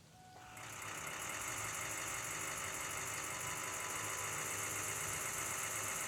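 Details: Ford F250 6.0 Powerstroke diesel: a steady starter drone with an even pulse about four times a second that never catches; cranks but does not start.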